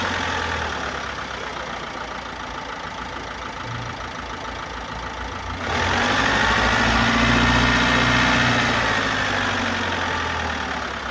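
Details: 2018 Opel Astra K, 1.6 diesel B16DTH (81 kW/110 PS), 128,814 km: diesel idle rising to a louder rushing hiss with a clear whistle over the clatter, caused by an intake system leak and defective swirl flaps.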